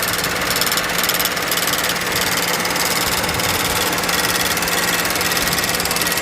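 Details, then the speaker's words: BMW N63 with drivetrain malfunction warning and an engine internal fault code, mic close to engine: uneven, lumpy idle with a loose irregular beat under hiss; running rough, likely misfiring, spark plugs later found heavily sooted. "So you can hear this engine, it sounds a little bad, the way it moves, the way it sounds."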